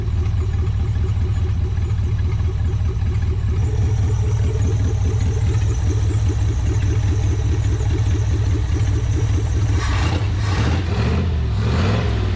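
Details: Abandoned 1959 International B100 truck, first run after carburetor float level set and coolant flowing: even, steady thrum with a regular firing beat and no knocks or misses, revving and dropping back to a perfect idle; normal running.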